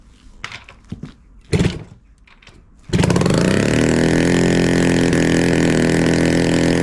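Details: Yamaha RD350F1 twin, 31K, left in a garden for decades, first start after carburetor work: after a few cranks catches and holds a rough, raspy buzz; running but not cleanly, cause not confirmed.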